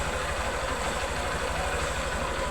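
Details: 2010 Honda Fan 125 bored to 150cc with a Titan 150 cylinder, original head, exhaust and carburetor, rebuilt after a connecting-rod noise: small single ticking over at a smooth, even idle, no knocks or rattles; healthy.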